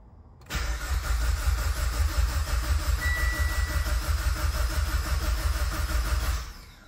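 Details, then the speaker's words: Mitsubishi Evo X with brand-new engine, first start attempt after over two years; even cranking about three turns a second, no knocks or scrapes, not firing as fuel pump relay was pulled. "engine sounds super healthy we got great oil pressure even on crank so I'm good with that"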